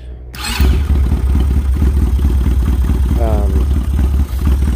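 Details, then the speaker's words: Chinese 250cc ATV (Kazuma/Taotao type) not run in about 10 years, original carburettor: single-cylinder thump catches quickly and holds a low, lumpy beat only on full choke; won't run on its own mixture, carb suspected. "so again this chinese atv will start up and run but basically on full choke"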